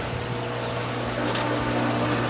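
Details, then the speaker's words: Diatomaceous earth pool filter start-up, filter air relief valve open, valve on filtration: steady pump motor hum with hissing and gurgling as air escapes; pump catching prime normally before filter gauge rises. "Pump's catching prime. You can hear the air escaping. And soon enough, we'll see the gauge on the filter go up."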